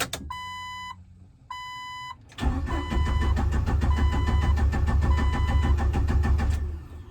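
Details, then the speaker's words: 1997 Jeep Wrangler TJ SE, 2.5L four-cylinder, about 204,300 miles, with a new remanufactured PCM and relays swapped; chimes, then about four seconds of steady quick cranking that never catches. Cranks but won't start because the crankshaft position sensor was never plugged back in. "Good volts on the battery. I was gonna disconnect the wire harness for the crankshaft position sensor and measure the voltage going into the sensor to see if it was at least 5 volts, then I would know the PCM was working."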